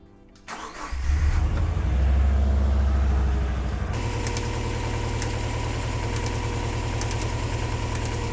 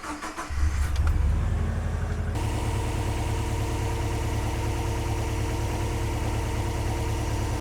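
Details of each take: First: 2000 Subaru Legacy wagon EJ206, just after alternator and belt replacement: engine fires and idles with a steady rapid flapping "whacka" slap about four times a second because the belt is too loose. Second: 2000 Subaru Legacy EJ206 wagon after alternator and belt replacement with idler pulley retightened: cranks briefly, catches cleanly, then settles to a steady, even idle with no squeal or chirp from the belts; all normal.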